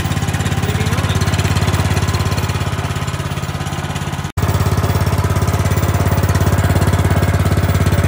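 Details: Plate compactor (wacker plate) single-cylinder engine after fitting a new switch, topping up oil and confirming spark, previously wouldn't start: fast, regular deep thumping beat with even rhythm after a brief cut; runs cleanly.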